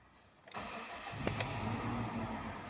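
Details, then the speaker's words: Toyota Hilux 1TR VVT-i petrol with hesitation and low power, after fitting four new ignition coils: short crank, catches at once and settles into a smooth, even idle; normal start. "dia sudah nyala ya mesinnya sudah nyala dan ini suara mesin halus juga mantap"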